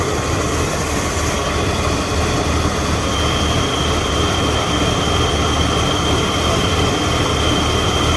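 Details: Ford EB Falcon manual six-cylinder after cleaning throttle body and idle actuator and changing leads, white smoke from carb cleaner: loud uneven idle with irregular stumble like a cylinder dropping out; rough idle persists, cause unconfirmed.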